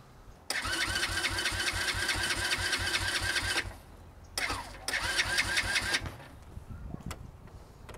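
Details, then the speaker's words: New Chinese X-PRO 125cc sportbike from Amazon: two bursts of brisk, even starter cranking with a whirring whine and no firing; not an oil problem, engine not getting fuel, fuel petcock position unclear. "it's not an oil problem it's just not getting fuel everything is running it's just not getting fuel"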